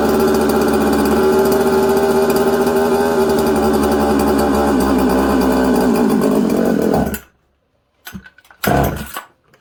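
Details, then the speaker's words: Husqvarna 266XP chainsaw after an air leak at the crank seal keeper behind the flywheel was fixed and pressure/vacuum tests passed: revs scream up, sag to about 4000–5000 rpm, wander, and nearly die on throttle, loading up with fuel; erratic rpm and bog from faulty carburetor. "you guys hear that um it's all over the place it sounds good it's crisp but then it's not uh it's loading up with fuel like it has an air leak okay"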